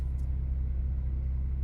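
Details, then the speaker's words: 2017 Audi Q5 3.0T after replacing a blower motor whose worn bearing rattled: the HVAC blower gives a steady, even low hum with no rattle, tick or scrape; normal, quiet blower operation. "The thing is quiet."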